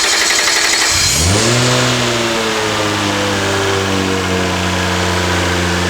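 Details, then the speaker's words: R32 Nissan Skyline swapped from RB20 to HKS-built T3G twin-turbo 1JZ, very first start on drive-by-wire throttle controlled by laptop, no throttle control: engine fires, flares and settles into a steady, even hum, no knocks or misses; normal start and rev. "so we finally got the answer to our question of will it run yes yes it will does it sound healthy yes"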